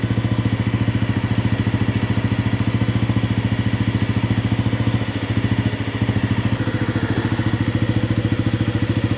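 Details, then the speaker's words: 1997 Honda CB50V Dream 50 (AC15) DOHC four-valve 50cc single, revived after about 15 years sitting, on stock ignition: quick, even putts about two a second at steady rhythm, no valve-train noise; clean idle, exhaust air still cold. "nice settles in there I thought we'd be hearing valve train noise there's nothing"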